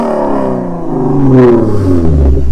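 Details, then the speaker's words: Lexus RC350 with PPE headers, mid-pipe and axle-back, nearly straight-piped, before resonators: a harsh, raspy buzz over the exhaust note as revs climb through about 2500–4000 rpm. Resonators planned as the fix. "so right around like 2500 rpm there's like this crazy crazy crazy raspy noise and it sounds horrible listen oh my god horrible dude that rasp insane"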